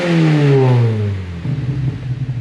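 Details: Exhaust after Fab9 Elite intake and BC stage 2 plus cams install: a quick rev falling cleanly back to a steady idle, smooth and even with no rattles; healthy exhaust note.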